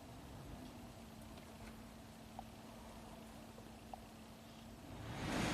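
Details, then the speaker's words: 2013 Nissan Murano with dead center control panel (no HVAC, radio or nav), blower motor fuse temporarily installed during scan-tool HVAC active test: quiet steady fan hum, then rising rush of air as it speeds up; blower working normally. "let's just put in the fuse for the blower motor temporarily there's our blower"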